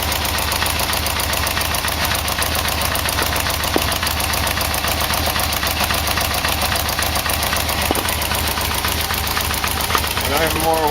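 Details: Yamaha VMX1200 V-Max at idle with new exhaust fitted: light tapping knock about three to four per second under the idle note; source unclear.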